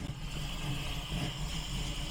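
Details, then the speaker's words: Engine with a big cam, on its first start after a Killshot Fusion throttle-body fuel injection install (fuel was slow to reach the throttle body; loose battery connection): it fires right up into a deep, choppy, loping idle that is normal for the cam. "Fires right up, and it does have a big meaty cam in there, so it does run like that."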